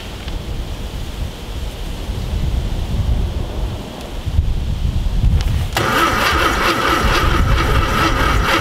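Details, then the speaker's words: VW Thing Type 181 sitting since 1989 (32 years), spark confirmed; sluggish, uneven cranking about three to four turns a second never catches, starter dragging on a weak battery before swapping in a Tundra battery. "we need more juice you can hear this we still have spark spark yeah nice oh you got your headlight on cool bright hat yeah got sparkage we just need more juice"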